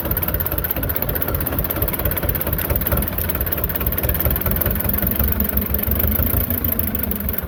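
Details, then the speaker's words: Belarus 250 tractor, 2-cylinder air-cooled diesel that sat for years, at 3/4 throttle: heavy clatter wavers and lifts, surging and almost dying then recovering; fuel starvation from a clogged lift pump, owner also suspects the injection pump. "fuel's getting down it wants to just run and then kind of surge almost die then it'll come back"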